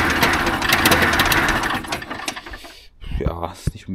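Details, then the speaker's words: Trabant 601 two-stroke during carburettor adjustment: rattly idle that sags and nearly dies, then catches and stumbles back up; not really better, so the other carburettor screw is adjusted next. "nicht unbedingt besser geworden. Können wir versuchen, ob wir dem Schraubenzieher an die andere Schraube kommen, um die nochmal einzustellen hier."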